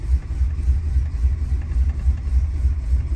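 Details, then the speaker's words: 1977 Chrysler Newport 400 V8, cold start below freezing after sitting about two months on weak battery: uneven, lumpy low idle loping three to four times a second; runs rough, owner suspects partly the spark control computer. "it idle for a little bit she's not very happy right now definitely doesn't run as good as the 400 and the fury maybe partly due to the uh spark control computer"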